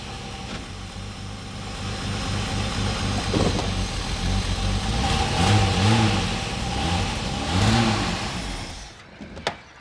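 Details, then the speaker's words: Holden VS Commodore ute V6 idling then in gear, revving with an uneven stumbling beat that never smooths; misfire persisted after swapping injectors, later traced to a shredded camshaft lobe. "See, it's missing on idle and it's not. You can hear it's missing."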